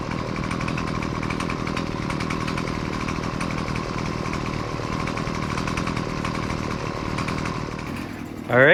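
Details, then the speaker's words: Husqvarna two-stroke gas weed trimmer, about 20cc, gas-oil mix, after adjusting idle, low- and high-speed carburetor screws to fix stalling at idle: buzzes at a steady, even idle without hunting or dying, then blips up cleanly; running fine. "now I had to mess around with the screws a lot to try to find the perfect spot where it would idle at a good speed and then rev up nice and easily"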